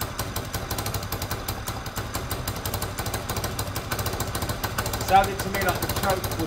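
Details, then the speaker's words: Peugeot Tweet 125cc scooter after new top end: uneven idle with a sharp puffing chuff on each firing pulse, exhaust blowing; part not yet bolted up, so air suspected escaping there, not confirmed. "also there's a blow in the exhaust you can hear that the exhaust is blowing"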